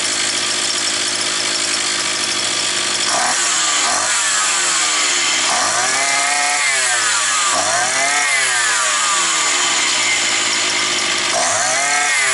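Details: Small two-stroke brush cutter, roughly 52cc, that started and then stalled, probably after sitting over winter, run after fixing, with air filter still off: it revs up and drops back cleanly with each throttle blip, holding a steady idle. Running normally.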